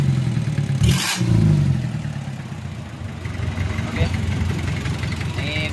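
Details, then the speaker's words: Just-rebuilt Mitsubishi 4D30 100PS diesel (timing gears, injection pump, cylinder head fitted; new oil cooler O-ring), run briefly without coolant: steady idle clatter picks up promptly when blipped and settles back evenly; normal throttle response. "Ini masih beroperasi tanpa air. Dengarkan respons akseleratornya. Oke, bagus , pedal gasnya."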